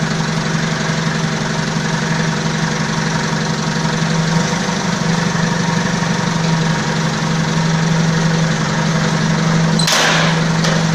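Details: Balkancar forklift diesel after engine rebuild plus clutch, brake and running-gear repair: steady, even idle with a firm low rumble and no knocks or misses; engine sounds fresh and healthy.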